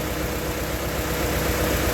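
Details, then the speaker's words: 1995 Honda Prelude 2.3 VTEC with stalling and hard-start problems, intake hose off: uneven, loping idle with a dull low beat that stumbles now and then; misfire from a cylinder with low compression. "but if you notice one thing you hear that it's got a Miss uh so there's a cylinder with low compression"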